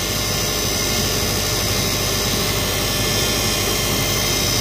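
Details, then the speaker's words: 2007 Subaru Impreza at idle after serpentine belt replacement and tensioner tightening: loud steady high whine from the power steering pump, which was run with almost no fluid; belt smells like burning; pump failing, to be replaced. "So let's go ahead and fire it up and see how she's running. definitely sounds like the pump's making a lot of noise still. I almost can smell the belt."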